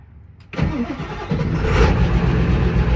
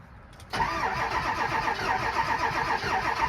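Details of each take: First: Ford 7.3 Powerstroke diesel truck, 695,000 miles, big injectors, cold start: brief crank, then fires instantly and settles into a deep, steady cold idle; healthy cold start. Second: 7.3 Powerstroke diesel truck, cold start in snow, later found to have a melted piston: cranks and catches, then runs with an uneven, lumpy beat and irregular skip; engine miss.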